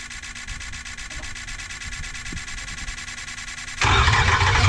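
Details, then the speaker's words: 2005 Ford F250 converted from gas to a 6.0 Powerstroke diesel, after swapping in another FICM: starter spins evenly at about three turns a second but never fires; crank no start. Compression test planned next. "The new ficum did not work."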